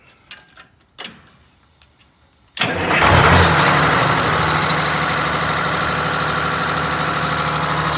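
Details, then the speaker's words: Rebuilt, long-sitting Detroit Diesel 6V92TA in a Wanderlodge bus: starts and settles into a fast, steady idle well above normal, target near 600 rpm; idle being adjusted. "the idle is way too high on it so we're going to figure out what's going on with the idle on it I it's like 400 RPM too high"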